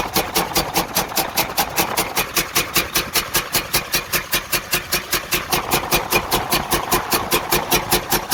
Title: Freightliner Cascadia DD15 loud knock noise major internal damage engine gone engine repair overhaul